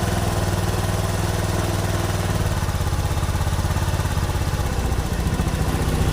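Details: Honda Beat Street FI scooter that stumbled and stalled when throttled: after cleaning built-up dirt, the single-cylinder idles at a steady, even beat without hunting or dying; idle healthy and stable.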